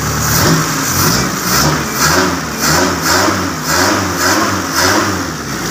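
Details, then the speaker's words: Old Suzuki Jimny custom semi-tubular build, newly assembled, running on temporary fuel feed with the exhaust pipe removed: repeated revving blips with a raw, raspy, unmuffled bark; loud because no exhaust is fitted. "ini suaranya agak berisik karena di bagian dari e nalpotnya masih kita lepas"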